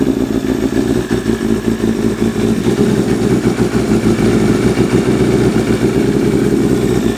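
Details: 1988 Kawasaki ZXR250 road bike, first start of rebuild: lumpy, burbling idle with uneven clatter and unsteady beat; running ridiculously rich, idle mixture screws 3.5 turns out, shot flames.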